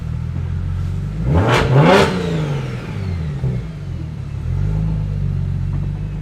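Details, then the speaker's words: BMW 135i N54 after a Doc Race single turbo kit install with B58 coil packs, on its first drive: the engine pulls cleanly through the revs with a smooth rising and settling drone. The earlier exhaust rattle is gone, so acceleration is normal. "exhaust isn't rattling anymore too which is nice that is nice that was loud [Music] this sounds so good"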